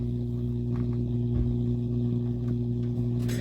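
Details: Akai AP-207 direct-drive automatic turntable during a service: constant low mains-type hum with a steady buzz, persisting after swapping to a known-good test cartridge; source unclear, possibly a bad cable or bad channels.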